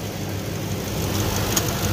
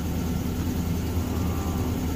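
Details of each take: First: 2006 Ford F-150 5.4 Triton V8 after fixing a cylinder 8 misfire, which was traced to a loose spark plug with a broken tip that had caused a tick: even low rumble with no ticking; smooth, normal idle. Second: 2006 Ford F-150 5.4 Triton V8 with a year-long tick: steady low idle with a faintly lumpy, uneven beat, still shaking. One cylinder misfires because the spark plug tip broke off, possibly dropping into the cylinder.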